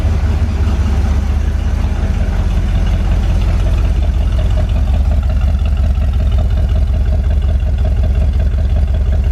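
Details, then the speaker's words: Corvette V8 with cleaned tank and new fuel lines, now running from its tank and warming up: deep, even burble, no longer missing; normal idle, though a passenger-side exhaust donut leak remains. "It ain't missing no more. Sounds pretty nice."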